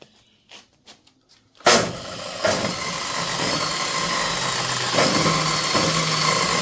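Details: DeWalt DW871 14-inch cutoff saw, about 20 years old, had bogged down and smoked; owner suspected brushes. Test after reassembly: a few handling clicks, then the motor spins up quickly to a steady, even high whir with no grinding or sparking crackle.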